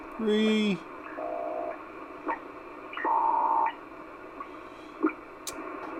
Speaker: the birdies being there yeah they're definitely there and this this power supply is advertised is not